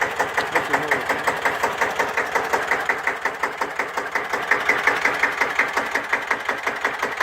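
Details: Deutz F1L612 tractor, 11 PS, 1954, air-cooled single-cylinder diesel, cold start after overhaul and repair for TÜV inspection: slow, even chug with crisp regular beats, no misses or knocks; healthy idle.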